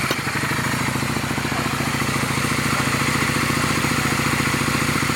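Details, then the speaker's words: Honda Shadow twin after mixture adjustment: even, steady idle thump, about 3.5 beats per second, pops stopped; idles cleanly, though the owner's main complaint is poor running above 20 mph. "she's idling a little bit better no pops well the pop just stopped as soon as i adjusted but i don't have an issue with the idling"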